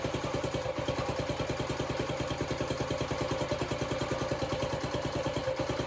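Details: Honda CT90 (Trail 90) with a stock engine, after a full restoration and new wiring harness, started on barely any fuel after it seemed flooded: even, steady idle with no misses, knocks or clatter; healthy, settled idle.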